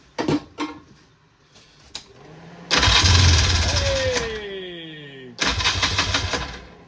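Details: 1994 Polaris two-stroke 4x4 quad, long sitting in the bush, cranks, fires and catches after battery charge, starting fluid and plug reinstalled; buzzy rev rising and falling with throttle, quite smoky; starts and runs normally.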